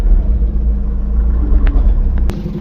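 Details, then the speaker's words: Tata 1109g CNG truck at idle: deep, uneven, lumpy rumble with the whole engine vibrating; the Tata laptop scan reports a cylinder 4 misfire, with the spark plug, coil or injector suspected. "इसमें गाड़ी पूरी missing कर रही है और vibrate भी कर रही है पूरी।"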